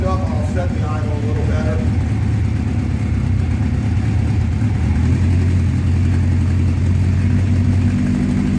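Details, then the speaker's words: 1984 Honda CB700SC Nighthawk after carb cleaning, cold after sitting at 30 degrees: slow uneven idle that lopes, sags, barely holds; idle speed set too low, possibly adjusted in summer heat. "all right guys um I definitely got to turn that idle up because uh it seems like it's too low or it might have been adjusted when it was hot out like during the summer"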